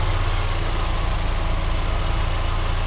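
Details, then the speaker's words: Mazda Miata with accessories and lights on, after replacing a vacuum line/cap that likely fell off during an alternator change: steady, even low idle with no hunting or stumbling; rough idle fixed. "idle is just fine right back to where it was so I don't know how that ended up falling off probably from the alt when we're changing the alternator you have to take that tubing off and it probably just fell off or some crap but anyways the idle is where I want it"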